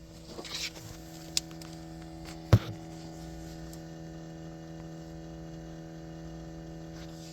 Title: 2020 corolla se, buzzing sound drivers rear.discovered 6hrs after car last turned off